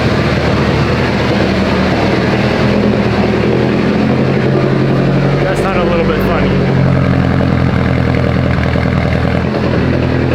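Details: Mitsubishi Evo 8 right after head work, first start, warming up: very loud, steady idle with a slightly uneven loping beat, sounding healthy and settled; revs fine, oil pressure good; normal lopey cam idle.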